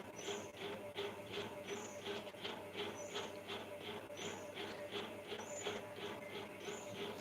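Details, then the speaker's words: Very old fan, noisy only when running on inverter power, not on mains; owner doesn't know why. Faint steady hum with light rhythmic ticking about three times a second. "भैया पता है यह बहुत पुराना पंखा है मेरा इसीलिए बहुत आवाज करता है। लाइट से नहीं करेगा इन्वेटर से आवाज करेगा।"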